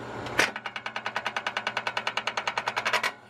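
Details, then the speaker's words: RK25 tractor while cutting and hauling firewood: quick even ticking about three per second for under three seconds with no firing; starter spins without engaging the engine, owner suspects it is rubbing on metal, cover to be removed. "Yeah, it's not catching or something. You can hear the thing spinning and rubbing up on the metal or something."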